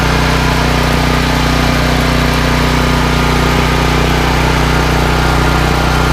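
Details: Firman tri-fuel generator, 9400 W peak and 7500 W running, running on natural gas after electric start: steady, unwavering low drone, no hunting or surging; idling smoothly.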